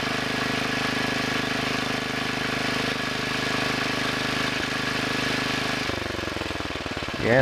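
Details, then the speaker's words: Two-engine Wheel Horse tractor, rear engine after its carburetor main adjusting screw was turned a little more than half a turn to cure puffing misfire: steady, even putter with no misses, running normally. "that sounds better I moved that one a little more than a half turn"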